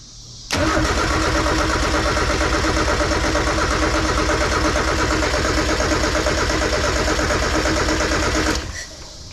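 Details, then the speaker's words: Mazda Miata build after throttle-body work. Long, steady cranking with uneven chugging at about three beats a second that never catches. The firing order is being changed between attempts; the cause is uncertain. Cranks but will not start. "I'm gonna move this around again. I don't know if this is the problem, but change the fire order again."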